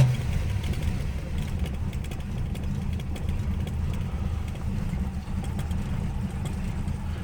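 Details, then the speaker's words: 53-year-old Plymouth Slant Six at about 12°F, choke presumably still engaged and probably already loaded up from the morning: low, lumpy rough idle with a pop, gassy and overloaded. "we hear that pop that's what it is i want to send that thing back to china wherever it came from now it has a nice gassy overloaded gas"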